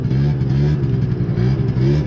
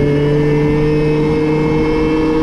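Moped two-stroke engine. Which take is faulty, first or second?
first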